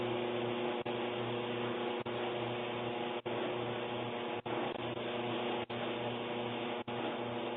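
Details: Kenmore Elite dryer (made by Electrolux) running with a loud, steady roar and hum that dips about once every 1.2 seconds; the owner says the noise keeps getting louder.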